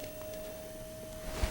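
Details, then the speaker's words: Radiofrequency skin treatment unit operating and heating: clean, steady mid-pitched tone, normal; rising tone and 2-second beeps follow once at temperature. "now you may hear there's a see it's buzzing it's operating right now you can hear it there's there's there's a tone"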